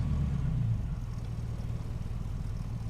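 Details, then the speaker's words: 1936 Plymouth Roadster at pre-purchase inspection, warming up, foot just off the accelerator: low, uneven idle rumble with irregular lumpy beat; engine still shaking, rough idle, cause unconfirmed. "Okay, so she's shaking pretty good."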